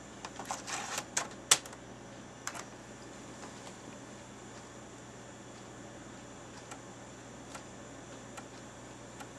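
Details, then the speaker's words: Floppy drive reading while installing Windows 98 from floppy diskettes: a few louder clatters, then faint, uneven ticking over a steady room hum; normal operation. "now i wonder if you can hear the floppy drive making noise over top of the background noise"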